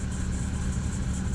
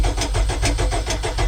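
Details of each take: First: 1995 MerCruiser 4.3L Vortec, Thunderbolt IV ignition, Alpha 1 Gen 2, on garden-hose water supply: a low, even burble at about 900 rpm, normal idle. Temperature reads 168–175, and the alternator is not charging. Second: 1995 MerCruiser 4.3L Vortec, Thunderbolt IV ignition, Alpha One Gen 2, on garden-hose cooling after six months idle, coil jumped to battery: starter churns evenly four-five turns a second, engine struggles to catch; long cranking while fuel comes up.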